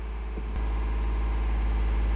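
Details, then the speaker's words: 2016 Honda Pilot 3.5L with DTC P2652 (rocker arm oil pressure switch) and the check engine light on: the idle is higher than normal and creeps up by itself without throttle. "engine idle is higher than normal actually right now the idle is going up by itself I'm not stepping on the accelerator pedal right now"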